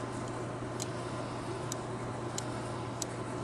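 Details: Sony NEX-5N camera recording handheld video picks up faint, sharp irregular clicks over a low hum, absent on tripod; owner suspects a mechanical orientation sensor that clicks when the camera is shifted, even when off.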